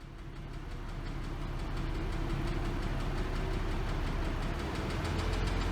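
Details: 2006 Porsche Cayman S (98721), 87,094 km, engine noise: light, fairly quick ticking about three per second over a deep hum; lash adjuster suspected, but possibly piston slap, unconfirmed.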